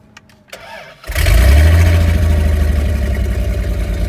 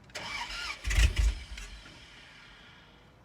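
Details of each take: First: Dodge Dakota regular cab after a used transmission install, just refuelled and jump-started: starter whirs briefly, engine catches cleanly and settles into a steady, even idle with no stumbling; a healthy start. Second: Dodge Dakota regular cab after used transmission install, clutch in, it had given a clicking instead of cranking earlier; brief crank, a couple of catches, then it dies within a second. Cause found: out of gas.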